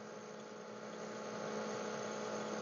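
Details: Three-year-old Edgestar cooler that had stopped cooling, after the starting relay was identified as the fault: steady low hum with a clean tone near 200 Hz and no clicking or rattle; the compressor runs normally and later cools to 39°/55°.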